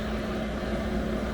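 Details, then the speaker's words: Newly installed diesel heater in a campervan, first start, blowing very hot air: smooth steady fan hum with constant whirr and low rumble, no surging or ticking; normal diesel heater operation. "The weather outside, and I'm trying to get the heater going. We have hot air."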